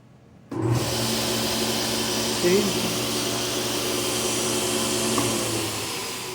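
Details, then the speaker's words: Powermatic PM2000 table saw, unused for 5 years: motor spins up quickly and settles into a smooth, even hum with steady whine, no knocking or surging; earlier hard kick and shaking at start is fading, starts easily without drawing heavy amps. "it starts real smooth it doesn't draw all those amps like it doesn't seem like you draw draw all those left amps to try to start the motor"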